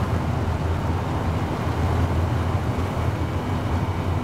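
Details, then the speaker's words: 1970 GMC Fleetside pickup, 350 V8 with Turbo 350 automatic, at freeway speed: steady low engine drone under road and wind noise, no knocks or misses; runs and drives smooth, normal running. "You won't be unhappy the way this runs and drives."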